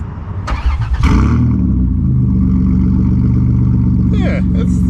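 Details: Van with no muffler before muffler install: loud, raw, deep rumble with blips, harsh open bark of straight-pipe exhaust.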